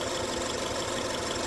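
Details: 2006 Subaru Forester EJ25 with a cylinder 2 misfire code idling with a faint uneven lope and periodic stumble in the low thump; plug wire swap ruled out the wires; serpentine belt also slightly noisy.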